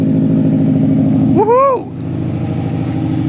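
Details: Prodrive Subaru Impreza STi on a mild rebuild, first start after fitting mechanical upgrades: steady, even idle, then one quick clean blip up and back down, crisp with no knocks or misses; sounds healthy, though a fuel clamp was found leaking afterwards.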